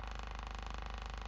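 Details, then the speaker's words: 25-year-old Cerwin-Vega E-208 woofer driven by a 50 Hz tone generator: the rotted foam surround, detached from the basket, gives a papery flapping jitter and resonance before refoaming; gluing the seal damps it. "but since the outer foam is not attached to the basket we're going to get quite a bit of Jitter and flutter and you're going to hear some resonance"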